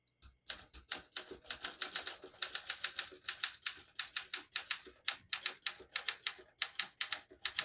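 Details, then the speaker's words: 1969 Olympia SM9 portable typewriter, West German, typing in red with the ribbon selector down: crisp, quick keystrokes with even spacing and clean carriage action, no drag or sticking; surprisingly light, beautiful touch. "It's absolutely beautiful. Surprisingly light touch"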